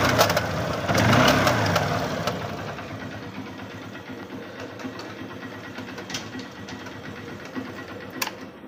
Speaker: और हम स्टार्ट करके अगर गियर लगाते हैं तब इसकी आवाज देखिए हम दिखा रहे हैं आपको कि इसकी आवाज कैसे आती है